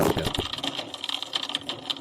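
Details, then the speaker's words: Aquarium external canister filter, flow suddenly reduced: uneven ticking and gurgling over a faint high hum as the impeller only twitches instead of spinning clockwise or counterclockwise. Cause: broken magnet on the impeller shaft, later repaired with glue. "叶片它只有在那边抖动而已。正常来讲，它是应该是顺时针或者是逆时针这样会转。那这也就是表示什么呢？它这个轴心应该是坏掉了。"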